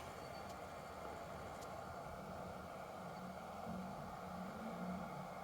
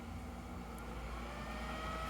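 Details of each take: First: Kingroon KLP1 3D printer after its power supply fan was serviced and the supply remounted. The fan previously growled and vibrated. Now it runs with a soft, steady, airy hum and is almost inaudible. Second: Kingroon KLP1 3D printer mainboard cooling fan roaring at 100% with a steady whoosh and thin high tone; to be capped at 80% and regulated by processor temperature. The power-supply fan hum was cured by lubrication.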